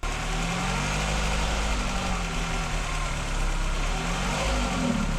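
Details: 1999 VW Golf MK4 with multiple misfires (codes P0300, P0302, P0304), hard starting and poor idle: unsteady, lumpy idle whose low drone wavers and shakes beat to beat; rough idle traced to a faulty mass air flow sensor.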